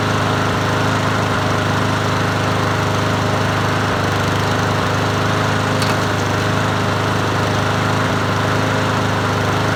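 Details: Free Troy-Bilt TB110 push mower, 550EX 140cc single-cylinder, running after carburetor work: steady running with uneven thump and shake; owner first suspected blade needing sharpening and balancing, vibration traced to bent blade adapter.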